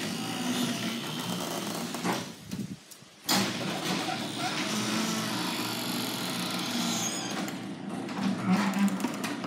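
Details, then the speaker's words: Garage door before lubrication; low, groaning squeak as the door travels, pausing briefly mid-run; squeaking garage door. "you guys the squeaking on this door."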